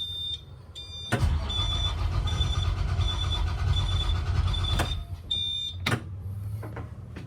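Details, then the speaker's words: 2003 Blue Bird All American 72-passenger school bus, 134,000 miles: starter cranks, engine runs roughly a few seconds then cuts out and stalls; wants to start then dies, cause unknown. "all right i'm going to hit the key see like it wants to start and then it just dies"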